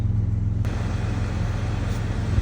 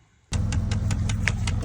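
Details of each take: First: 2015 Dodge Challenger after realigning and refitting the passenger-side HVAC blend door actuator that caused dash ticking; steady low engine rumble in cabin, no ticking or clicking from the dash; normal HVAC operation. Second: 2015 Dodge Challenger, passenger-side dash with the panel removed: sharp, even ticks about five times a second over a low idle hum, felt by hand on the failing HVAC blend door actuator.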